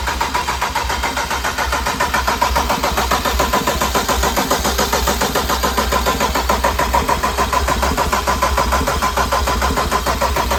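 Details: BMW 335xi built engine, first start with oil but no coolant, cranked to prime oil after a starter swap and an unplugged terminal 50 wire: starter spins it at a steady beat of about three and a half compressions a second, no clicking.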